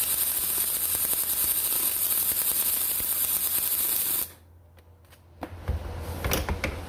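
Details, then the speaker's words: Millermatic 212 with spoolgun welding aluminum, wire feed speed turned down: uneven crackling sputter from the arc, a pause and a restart, like a Harley on 86 octane; wire feeding too slowly. "hear the difference so that slower feed that sounds like a sounds like a harley that's running on 86 octane"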